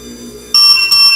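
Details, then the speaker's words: FD-SLI600DC 24V DC sliding gate motor with the force knob set to minimum: a faint hum advances a short stretch, cuts out, then two high, piercing beeps; the obstacle stop clears with force set to maximum. "El rato que pongan a trabajar el motor, va a avanzar un tramo pequeño y se va a detener y va a evitir dos pitidos."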